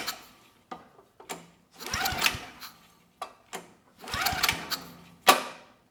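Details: Early-mid 1980s Fairbanks Ward 2500 W generator, 5 HP Kawasaki FA210D flathead, old fuel left in tank, starting fluid tried: pull-start whirring compression strokes dying away, no catch; cranks without firing, spark later confirmed strong.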